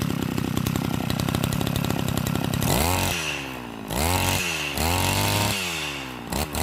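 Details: Type 328 brushcutter engine converted from a float carburetor to a diaphragm-pump carburetor, cylinder flipped to the top, idle adjusted: a high, steady two-stroke buzz, then quick throttle blips that rise and fall cleanly without bogging. Normal running.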